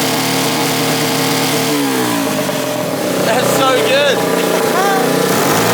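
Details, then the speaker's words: 125cc air-cooled fuel-injected turbo go-kart engine, first start with boost, about 7 psi (over half a bar) free-revving, not yet properly tuned: rising revs stutter and break up unevenly at the top instead of pulling cleanly; breaking up under boost, tune unfinished. "we are making about 7 lb of boost just on idle and riving it which is crazy and it's not even properly tuned yet you can hear it's like breaking up there not quite"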